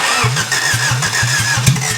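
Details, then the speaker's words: 1991 Honda Civic after head gasket replacement, first start with throttle held open: uneven, lumpy firing pulses without settling; rough first start on a weak battery, loud and doesn't sound right yet. "Whew. Well, there's some fire. Yeah! It's gonna be so loud. Doesn't sound right."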